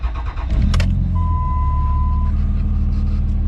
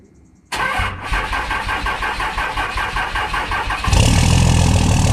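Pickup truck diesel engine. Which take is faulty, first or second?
second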